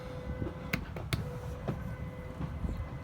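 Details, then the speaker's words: Jayco Redhawk 31XL living-area slide-out (slide one) extending while the extend button is held until it stops: steady mid-pitched motor hum with scattered clicks and clunks; normal slide-out motor operation. "go ahead and hold down the extend button for slide one which is gonna put out your slide out for the living area you just hold it down until it stops"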